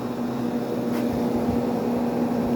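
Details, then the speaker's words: Fedders AirTemp 7.5K casement air conditioner on high fan; steady low motor hum with even air rush, owner unsure if varnish-related; normal fan motor hum. "I love the sound of this thing on high speeed the motor has a nice loud hum to it I don't know if it's like bad varnish or anything but that sounds a lot like some of the units I grew up with"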